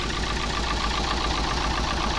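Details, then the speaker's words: Daihatsu Gran Max petrol engine just started, idling: uneven, rough, stumbling misfire beat; the van also rattles when revved and lacks power. "ini mesinnya sudah kita hidupkan ya teman-teman kita mau dengar suaranya pincang pincang juga terdengar suara kasar ya seperti ini kita coba cek"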